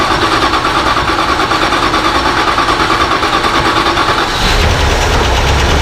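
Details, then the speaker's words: 1978 Dodge Ramcharger V8, just started for the first time in 3–4 weeks after a water pump job: a fast light tick, a little over two per second, runs over the idle; owner suspects a bled-down lifter. Ticking at idle. "got a chick that it didn't have before which i think might be a lifter maybe that bled down i'm not sure what else it could be"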